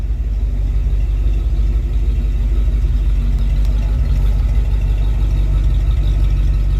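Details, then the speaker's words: Freshly rebuilt Dodge 318 Poly V8, dual exhaust with no H-pipe, recorded at the tailpipe: deep, even low rumble with a smooth, steady beat and no misses or ticks, good oil pressure; healthy idle. "but for now we're just gonna get her done she's running fantastic oil pressure super super happy with that I haven't looked up the temp gauge yet but it runs fine"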